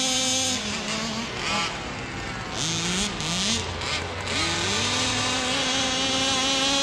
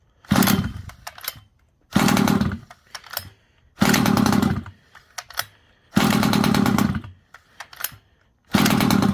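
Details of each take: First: Neglected 1/5 scale Rovan Baja 5b RC car with a two-stroke engine, being revived. High buzzy revs climb and drop in quick throttle blips, smooth and crisp with no misfire. The idle is called perfect; it runs healthy. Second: Rovan Baja 5b 1/5-scale RC two-stroke, neglected, fresh fuel, line purged, choke then off: catches and buzzes about a second then dies, repeatedly; idle set too low, more idle screw added.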